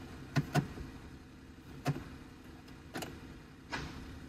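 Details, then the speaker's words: Smart Fortwo 451 shifting into gear: sharp low clunks, a double hit then single knocks about a second apart, gearbox slamming into gear from sticking clutch actuator. "smart 4-2 451 if your vehicle makes these sounds when you're putting it into gear right there you hear that slams slams into gear"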